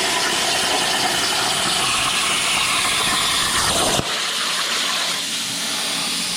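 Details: Everlast CNC plasma table cutting steel plate for bumper brackets: loud steady hiss and roar that drops in tone partway through; normal plasma cutting.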